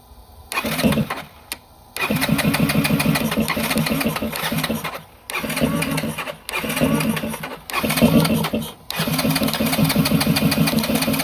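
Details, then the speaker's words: 2021 Yamaha XT250 with 252 miles, sat since 2022, new gas and battery, cranks but won't run; on jumper it fires in short one-to-two-second bursts and cuts out repeatedly; starts briefly then dies, fuel issue suspected. "I got to connect the jumper but it started so it is a fuel issue 100%"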